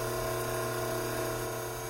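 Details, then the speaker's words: Hydraulic pump right after the inlet restriction that caused cavitation is opened: vacuum and pressure gauges back to normal, fluid temperature expected to fall; steady, even hum with clean tones, the agitated cavitation sound dramatically reduced. "Almost immediately, we can hear the dramatic decrease in agitated sounds coming from the pump."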